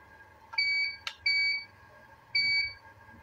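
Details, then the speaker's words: Visatec Logos 1600 monoblock studio flash after repair of error A2, fired at highest power: single soft, not very loud pop followed by short high ready beeps; fires and recycles normally (alarm sounds continuously only if fired too rapidly). "Ya suaranya agak pek begitu ya teman-teman ya. Enggak sesangar seperti lampu Profoto Day1 yang pernah kita coba."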